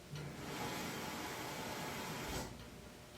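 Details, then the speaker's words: House water pipes before and after fixing: water flow stops sharply with a dull thump and loud bang (water hammer), cured by tightening loose pipes, water hammer arresters and a pressure regulator set under 75 psi. "So here is without the water hammer arresters or the water pressure regulator. And here is with."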